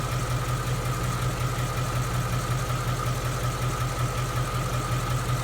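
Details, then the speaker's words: 2016 Mustang GT 5.0 Coyote, about 10,000 miles, at normal operating temperature, recorded near the fender: smooth steady V8 idle with soft regular valvetrain patter, no igniter-type or Coyote tick; normal idle. "See how smooth and sounding the engine is? No barbecue ticks. No infamous 5.0 Coyote ticks. All I hear is just valve train noises."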